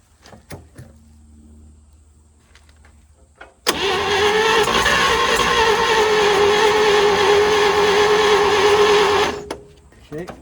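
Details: 1940s GMC 6x6 two-engine military truck, sitting 40 years, spark confirmed and gas poured in: several seconds of loud steady cranking with irregular catches never settling into a run; tries but won't start, ether next.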